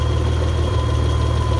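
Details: Mitsubishi 3000GT/GTO after the loose harmonic balancer was replaced, running a 6-rib belt modified down to 5: a steady, even idle with a smooth low thrum and no belt slap, chirp or flutter. The belt is lined up and the engine sounds healthy.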